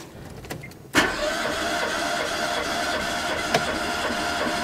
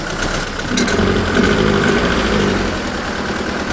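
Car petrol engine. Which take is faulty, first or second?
second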